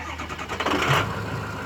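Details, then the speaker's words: 2006 Ford F-350 6.0 Powerstroke diesel, previously cranking without firing, after replacing ICP sensor and bad fuel pump: short crank, then catches promptly and settles into a smooth, even idle; normal start. "right up now problem solved idles nice and smooth does what it's supposed to do"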